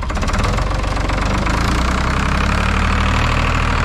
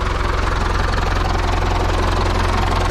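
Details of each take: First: IHC 844 diesel tractor at idle on a cold day with a replacement muffler fitted. A steady, deep, hollow droning exhaust note that sounds wrong or strange. Odd exhaust note from the replacement muffler. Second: IHC 844 tractor diesel with starting problems, run on a frosty day. Steady, even clatter at about three beats a second with a smooth low rumble and no misses or knocks: a normal, quiet idle.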